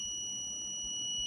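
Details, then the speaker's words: Multimeter with a piezo buzzer newly added to the PCB's "buz" pads, tested in continuity mode: a clean, continuous high-pitched beep holds steady, showing the added continuity buzzer works. "now it's working very perfectly now it's beeping you can hear the sound the meter is beeping"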